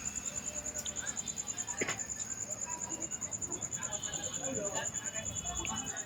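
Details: Tower Bluetooth speaker: a thin, high-pitched chirp pulses about three times a second over faint hiss, unchanging. The fault is suspected in the Bluetooth panel, where four memory-socket pins were found soldered; not confirmed.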